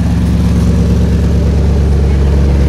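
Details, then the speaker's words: 1964 Chevrolet Biscayne with a mild small-cam engine, four-barrel carb and glass pack mufflers, quieter than Flowmasters. Deep, even idle rumble with a smooth exhaust beat and no knocks or ticks; normal idle. "Mufflers does give a nice sound out the exhaust it's very old school as I would call it uh the flow Masters you know are definitely louder and things these are just the glass pads so again that's the way it runs"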